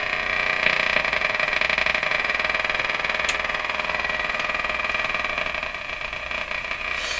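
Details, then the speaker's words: Emerson 34C tombstone tube radio (c.1935) on first power-up, probably shortwave band: steady hiss, bright buzz and fast regular crackle about three times a second; interference of unknown source, antenna grounding to chassis with other wire changes nothing. "I'm going to try grounding the antenna onto the chassis of the radi here see if that doesn't settle down the noise may you just use the other wire doesn't do a thing"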